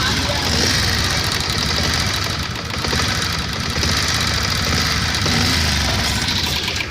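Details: BS6 motorcycle single-cylinder at idle: fast light ticking keeping pace with engine speed from loose tappet (valve) clearance.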